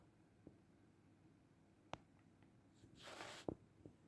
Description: You can very clearly hear some annoying clicking or ticking noise fans on this Asus PRIME LC 360 AIO make, in the real life it is way more annoying.